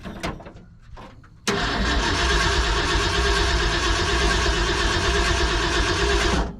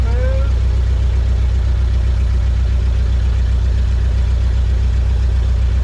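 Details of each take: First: 1970 Ford F-250 field-find, first start with Ford 2100 carburetor: brief crank, then the engine catches and runs rough about five seconds before dying; not getting fuel, owner suspects the carb float. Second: 1970 Ford F-250 V8, dragged from a field, first start after sitting with the engine untouched, jump-started because of a dead battery: deep, even burble at idle with firm steady pulses and no misses or stumbles; runs smoothly.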